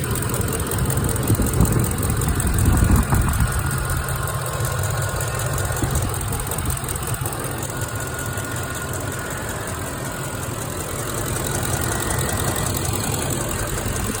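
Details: 2006 Ford F150 5.4L V8 idling: light, fast ticking over steady rumble, seemingly from both sides, louder when hot; driver's side sounds like chain rubbing. Passenger valve cover inspected, rockers and camshaft looked good, new plugs and coil fitted; cause unclear.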